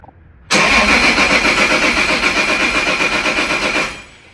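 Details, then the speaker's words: Toyota Supra 2JZ making about 520 whp, tuned in warmer Florida weather on different ethanol-content fuel, on a chilly cold start: loud lumpy uneven idle with a whistly top; rough cold-start idle, retune planned. "It's a little rough on cold start because it's it's getting a little chilly here."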